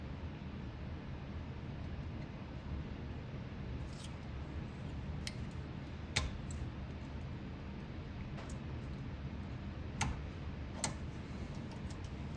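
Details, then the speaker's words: Silverball Mania pinball ball kickout, previously seized and rusty, shaft wire-wheeled and cleaned: crisp single clacks every second or two over faint hum, clean firm strokes — kickout operates perfectly after repair. "Look at that. Operates beautifully."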